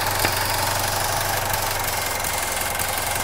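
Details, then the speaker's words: 2017 Chevy Trax with P0171 lean code, intermittent stall and hard starts: engine idles with an uneven, lumpy beat and a steady hiss while the purge valve, commanded off by the scan tool, is stuck open with its line removed; lean rough idle. "Listen to it. It's stuck open right now."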